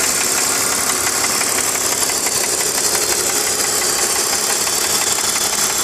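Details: BMW E46 325Ci with M54 six-cylinder, warm, ticking only at idle at the front of the engine: light, quick tick around three per second over the idle hum; source unconfirmed.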